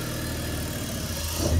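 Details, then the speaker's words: 2000 BMW 528i with oil leak and burning-oil smell, after valve cover gasket work; low idle wavers and sags toward the end, nearly stalling; cause unknown; fluctuating idle. "rt the car up it would just be normal and then it would fluctuate the idle and it was very annoying and this could be the fix but you can clearly hear it is doing that right now"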